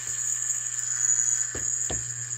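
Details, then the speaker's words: Hydrolevel VXT steam boiler water feeder: after its 30-second delay it energizes the solenoid valve coil, giving a steady low electrical buzz with a thin high whine. Normal solenoid buzz while energized. "at the end of thirty seconds it's going to energize the coil you can hear the foil buzzing away"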